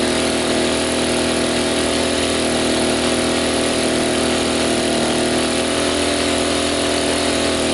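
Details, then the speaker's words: Sportsman 1000W surge/800W inverter generator running with a coffee pot plugged in but not brewing. The engine holds a steady, strained high-speed drone and the overload light blinks: overloaded. "well we got the overload button blinking"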